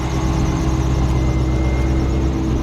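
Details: C5 Corvette at idle on a cold day, about 40 degrees: thin steady high chirp like a bird under the hood over a smooth idle rumble, following engine speed; found to be a dry idler pulley bearing, not the harmonic balancer.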